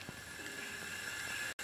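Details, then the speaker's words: Wilesco D6 model steam engine: a soft, steady hiss with faint bubbling as the water in the small boiler begins to boil. Pressure is building but not yet enough to run; it usually takes 5–10 minutes to reach the boil. "and if you listen you can hear the water starting to boil a little [Laughter] bit"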